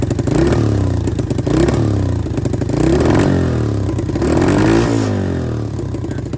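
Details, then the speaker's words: Cheap Amazon kid's quad after a carburetor mishap and reused throttle parts: throaty, uneven low putter swelling and dropping with each throttle blip, like a mini Harley; the small engine runs freely and sounds healthy. "sounded it almost sounds like a mini harley so i don't know if you can remember from the last video that i did on this of how it sounds but it sounds pretty sick now especially for a kid's quad"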